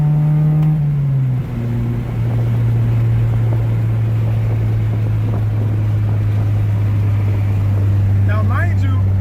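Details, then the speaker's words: 1993–1997 Honda Del Sol after the exhaust fix, accelerating hard in first gear with windows down: deep, smooth, mellow muffled drone with slight boom but far quieter than before; quiet exhaust. "this little bow but not nowhere near as I was before"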